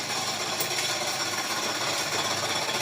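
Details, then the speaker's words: Honda FD with R18 engine running: fast, uneven high-pitched metallic chatter from the serpentine belt tensioner, which had been fitted with a non-original bolt. Worn, loose tensioner, to be replaced. "Yan yung ingay ng tensioner niya. Paandarin mo muna ulit ya."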